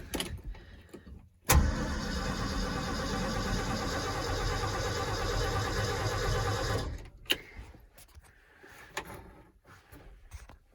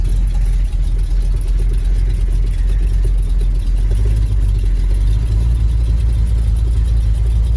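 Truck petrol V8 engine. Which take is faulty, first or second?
second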